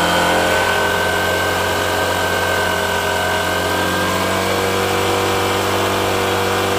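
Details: Honda Shine with a newly fitted replacement shutter-model carburettor, before tuning: steady, even single-cylinder beat with a constant buzzy tone, no misses or stumbles. The earlier problem is gone and it runs cleanly.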